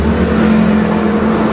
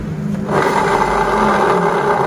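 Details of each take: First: Honda Beat DX 2020-2021 scooter CVT after repair and reassembly with rollers and V-belt fitted, rear wheel spun: smooth even whirr and steady hum with no crackle or grinding, only normal bearing sound. Normal CVT running. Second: Honda Beat DX 2020-2021 scooter, engine off, rear wheel turned by hand with CVT cover removed: coarse gritty srok-srok whirring and scraping from the CVT, judged 90% a worn pulley bearing. Worn pulley bearing.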